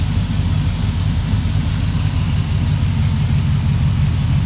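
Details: GM LQ4 6.0 L V8 on a bench stand, first start with LQ9 harness and headers, 40 psi oil pressure, checking for bottom-end noise: steady, even low rumble idle, no misses or knocks; oil smoke only from soaked cylinders; normal idle.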